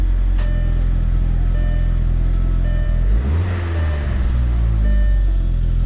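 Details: Gasoline engine after its spark plugs were cleaned and refitted to cure a cylinder-specific misfire: it fires up, flares and drops back to an even, steady idle with no stumble or skipped beats; the misfire is gone.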